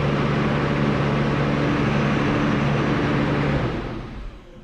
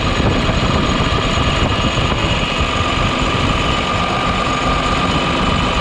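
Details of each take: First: New Holland T7040 tractor after an engine swap, running with good oil pressure. The diesel runs steadily a few seconds, then winds down and stalls; fuel is not getting from the tank to the filter: fuel starvation stall. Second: New Holland T7040 tractor after an engine swap, fired up after the final bolts were tightened and needing ether to start. Steady, even diesel clatter with a faint high whine and no knocks or misses: normal running.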